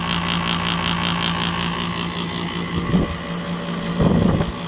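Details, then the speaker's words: 2003 Kenmore R22 window air conditioner, hard-starting compressor, drawing about 15 amps at start then 10 amps; loud steady hum with rough pulsing rattle. Noisy compressor running harsher than it should. "Okay, we're going to start it up again. There we go. Let's watch that. Start it up at 15 amps. That's pretty loud."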